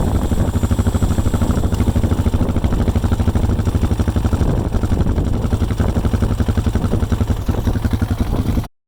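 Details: 2005 Honda Rancher 350 ATV after a no-start was fixed by cleaning corroded starter relay switch terminals and connectors, started with starting fluid. Steady, even single-cylinder idle with a quick regular beat and no misses, clicks or knocks.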